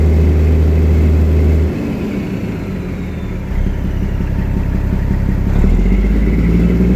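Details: Detroit Diesel Series 60 12.7 L running with an uneven, stumbling beat of about three to four a second that never settles; rough running misfire, suspected bad injector or water in fuel, not confirmed.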